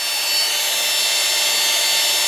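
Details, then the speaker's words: Makita XMU04 cordless grass shear brushed motor, brushes checked, wired directly to the Makita battery bypassing the controller: steady even high whir, no surging or dropouts; motor fine, controller suspected as surge cause. "it's just directly connected to the Makita battery it's running no problem it's not surging so I suspect that this controller here is not good that's why it's surging"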